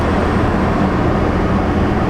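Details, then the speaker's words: 2020 Toyota RAV4 after replacing a blower motor that had been noisy and then failed, packed with rodent nesting and acorns: even, steady airy rush with no rattle, squeal or ticking as the blower runs through its modes, healthy. "Oh, she got AC now. Just make sure it goes through the modes."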